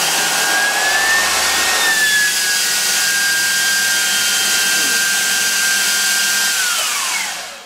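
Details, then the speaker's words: IMC Magnetics 400Hz vaneaxial aircraft fan, 200V delta motor fed from a drill-driven generator, voltage raised from minimum: loud steady rushing with high clean tone, winding down smoothly at the end; normal high-speed running. "As we go up, you can hear it start to slow the drill down. Right now, we're just blocking up the air. Wow, that's fast."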